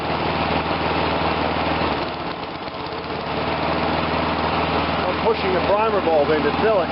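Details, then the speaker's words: Murray 22-inch push mower with a Briggs engine after a carb rebuild: running evenly, it briefly sags and stumbles as the primer bulb is pushed, then picks back up, showing the primer is working. Stumble when primer bulb is pushed while running. "I was pushing the primer bulb in to make sure that it's filling up and it's it's a it's working and you see when as I was pushing it in it started to create a stumble so we know that's working"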